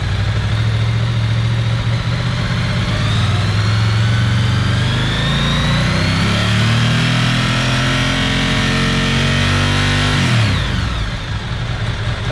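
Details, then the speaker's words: Ducati ST4S V-twin during throttle body and idle setup, warm with the thermo fan on: deep, even beat revs smoothly and settles cleanly; battery 12.6 V at idle, about 13.9 V by 1800 rpm; charging fine. "the thermo fan is on showing 12.6 at idle give it a few revs"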